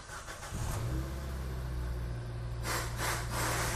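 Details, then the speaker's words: Car engine rebuilt after sludge from late oil changes, first start in neutral: catches quickly and settles into a steady, slightly raised idle with an even low hum, rpm up while warming toward roughly 80°; normal cold fast idle. "awal pertama kali hidup untuk RPM pasti dia akan naik karena dia akan mengejar suhu kinerja mesin di 80° kurang lebih"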